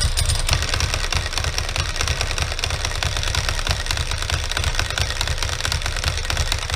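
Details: 2003 Ducati ST2, 944cc water-cooled 2-valve V-twin, knocked over and left outside: a dry, uneven clattering rattle over a loping idle from the clutch side. Clutch rattle; owner suspects the clutch pack, its bearing, cush drives or the case main bearing.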